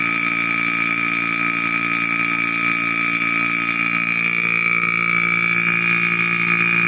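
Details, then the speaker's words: Single-stage 2.5 CFM vacuum pump evacuating, reaching a little over -29: loud, steady hum with a constant high whine that never quiets; normal running for this pump. "and uh here start to kind of change right quite loud quite loud and uh and it stays this sty it does not get any"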